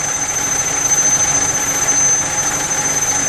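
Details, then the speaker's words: Six-way air valve: steady high airy hiss, unbroken as pressure builds toward about 6–6.5 bar; protection valve passing air normally while charging to brake-line safety pressure before feeding the other outlets. "barulho, esse assobio aí, é a válvula trabalhando, né? Então o ar está passando por dentro dela até chegar na pressão aqui de segurança para a linha de freio, para depois permitir a passagem de ar aqui para as outras duas saídas aqui."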